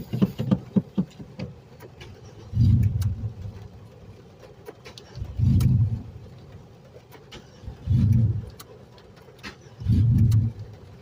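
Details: Hard start after a heavy storm flooded the streets, vehicle stubborn when wet: four separate one-second cranking bursts with pauses, starter churning but engine not catching; cause suspected, not confirmed.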